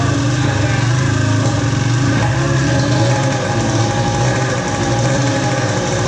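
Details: Polaris ProX2 700 two-stroke being troubleshot after oil added down the cylinder: busy, uneven idle with wavering burble, no knock; runs rough, bad fuel suspected, compression untested.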